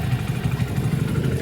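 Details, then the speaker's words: 2020 Hero HF Deluxe BS6 100cc bike at about 20,000 km, after its 7th paid service, idling with a quick light ticking knock from inside the engine over the low thump; owner reports tappet noise. "से...टेप किया गया एक दस्तक से खटखटाने की आवाज़ आता है।"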